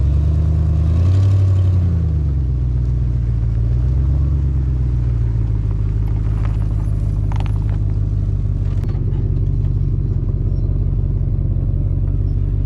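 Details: Jeep WJ Grand Cherokee petrol SUV cruising around a yard at low speed before the exhaust leak was fixed: deep, throaty rumble swelling and easing with light throttle, louder than stock; exhaust leak.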